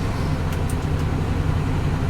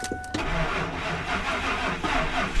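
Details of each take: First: Salvage-auction car idling on a cold day with AC on: steady, slightly fast idle with an even low rumble, no misses or knocks, then idling down as it warms. Normal high cold idle. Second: Salvage-auction automatic: cranks and catches, then the idle pulses unevenly with stumbles in the low rumble, door chime heard. Runs rough and misfiring.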